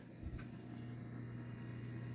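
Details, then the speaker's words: Subaru with a CVT, engine off and car not running: a steady, low electric hum from under the rear, first suspected as a failing fuel pump, identified as the evaporative system purge/leak check that runs after shutdown; normal. "No, wait a minute. There's another explanation. It's purging. What does it say? Purges the line of air, checking for fuel evaporation."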